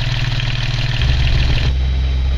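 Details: Newly fitted MIDIF 27CV marine inboard engine at its first trial run after the work was finished, idling with a deep, steady, even thump and no knocks or misses; it runs like clockwork, a normal idle.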